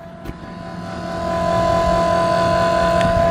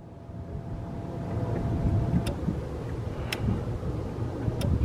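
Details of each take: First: Second-gen Dodge Ram 2500 Cummins with VP44 pump, crank no-start diagnosis, key on: even electric hum and steady whine of lift pump powering up, later showing 15 psi fuel pressure; normal lift pump operation. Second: Second-gen Dodge Ram 2500 Cummins diesel, lift pump powers up, injector signal 12 V dropping to about 10 V cranking: starter spins steadily about three compressions a second but never fires; no fuel from injectors, probably dead VP44 injection pump, unconfirmed.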